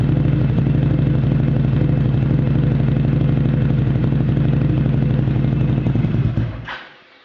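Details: Mitsubishi Outlander at cold start: loud, lumpy idle with an uneven pulse about four times a second, then the engine shuts off; rough idle.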